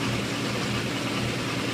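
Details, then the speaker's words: 1980 International Scout II with factory Nissan SD33T turbo diesel, first run after rebuild, cold engine held near 1,000 rpm for warm-up: steady, even, slightly high idle, smooth drone, no knocks or misses; normal cold idle. "so right now we're still as you can see the needle is still hovering up and down because the engine is showing signs that it's still cold"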